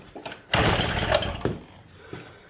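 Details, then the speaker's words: 1979 Suzuki JR50 two-stroke minibike, long unused, in neutral, spark confirmed, compression reading doubted; each kick gives only a loud pop or two that dies at once; no start, only occasional pops. "Oh, maybe I think it tried. Yeah, it's trying. Can you hear it? It's trying. Yeah, we get a couple pops. She'll run."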